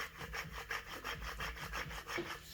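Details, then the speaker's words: 2018 Dodge Journey V6 rear wheel bearing, old one turned by hand off the vehicle: gritty rasping grind pulsing about three times a second; new bearing much smoother, old one getting ready to fail. "that's the wheel burn making the noise got the new one a lot smoother so that's an indication knowing that it's getting ready to fail"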